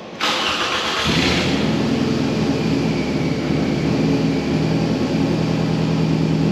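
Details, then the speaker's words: 2007 Toyota Camry, 2AZ-FE 2.4L four-cylinder, 189,000 miles, brief crank then rough stumbling idle with raspy exhaust puffs: misfires, obvious exhaust leak, engine burning coolant and about a quart of oil. "you hear how rough it's running it is not running very well at all it's got an exhaust leak that's rather obvious"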